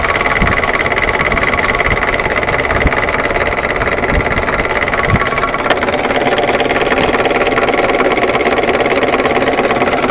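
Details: UAZ 31514 with UMZ-417 engine: steady idle with a loose, uneven knocking about three to four times a second over the engine; owner asks what is knocking, cause unknown.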